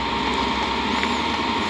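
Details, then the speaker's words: Hcalory Toolbox 2s diesel heater just switched to high, air still cool: smooth steady fan whir and even hum, no knocks or surging; running normally. "So between the phone and this remote here, oh, and I hear it running now."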